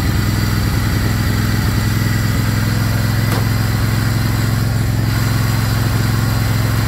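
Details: Craftsman GT riding mower (model 917.258873) with 18.5 hp Kohler CV18S 624cc V-twin, after carburetor replacement (long a hard starter), air filter off, jumper pack on low battery: smooth, steady low rumble, even firing, no stumbles or surging; normal idle.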